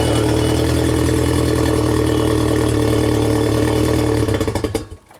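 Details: 1992 Genie boom lift engine started in ground-control mode during wiring diagnosis; small engine holds a steady, even note for about four seconds, then winds down and stops; it runs normally.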